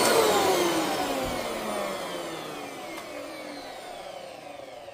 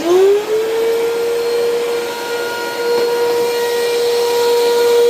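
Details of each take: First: Eureka Altima vacuum motor, after cleaning and oiling the bearings, whines and falls smoothly in pitch as it coasts down, no scraping or rattle; less strained than before cleaning, bearings acceptable for now but will eventually need replacing. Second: Eureka Altima upright vacuum: a steady, fairly loud motor whine, suspected from dirt in the fan, with no brush thrash underneath, then a clean spin-down; the worn drive belt leaves the brushroll not turning.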